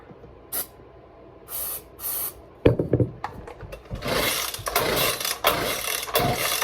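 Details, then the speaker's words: Echo PB-200 leaf blower being revived in winter, starting fluid sprayed and a little throttle given; pulls then a few seconds of ragged sputtering bursts that fade; fires briefly but won't keep running. "Oh, she tried. She tried. Oh, she is. She's close. If you can't hear that, it's going ba ba ba. I gave it a little bit of throttle. I think that helped."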